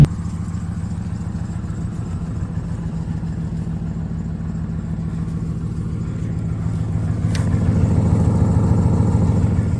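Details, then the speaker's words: 2014 Dodge Charger Pursuit HEMI V8 AWD ex-police car, roughly 0-60 mph with electric exhaust cutouts open: deep, steady V8 burble climbing in pitch and loudness, strong and even; normal acceleration. "So I'm going to turn around, open up the valves, and then we'll wrap up the video. And, oh, better turn that back on. Here is a 0 to 60-ish."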